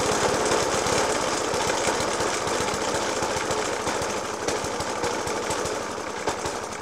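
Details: 1991-era Suffolk Punch 30S mower with Dellorto FCH 20 carb: uneven idle with heavy irregular bangs a few per second, persisting after new spark plug, decoke and carb clean. Rough idle with banging, cause not found.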